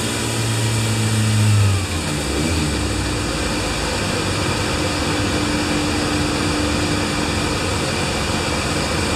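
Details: Kawasaki Z1 four-cylinder bored to 950cc with stock cams and a CR-M29 carburetor, being tuned after engine overhaul (89 ps measured): short rev then smooth, even running, clean exhaust note, no knocks or misses; healthy.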